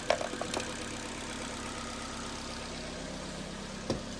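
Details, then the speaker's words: Car idling on its own right after a jump start from a portable 3500A jump starter pack, which was then disconnected. Quiet, steady hum with a couple of faint clicks and no hunting or stumbling: normal idle. "But, we are running, so I should be able to just disconnect this and keep the car running."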